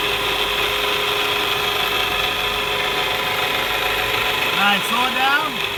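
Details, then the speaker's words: 2014 Honda CR-V on a lift, heard under the vehicle: steady drivetrain hum with a harsh scratchy grind like a wheel bearing, from a worn drive shaft center carrier bearing; noise at about 40-60 mph. "Sounds like a wheel bearing, but it has a scratchy noise to it as well. So, carrier bearing. Sounds like a scratchy type noise."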